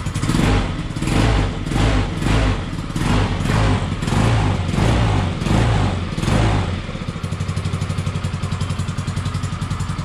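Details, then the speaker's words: Peugeot Django 125 scooter after carburettor replacement for hard starting and poor running: several seconds slow labouring cranking while float bowl fills, then catches into even quick idle putter; running fine. "it took a little while um but uh yeah and you know it started and it's running nicely"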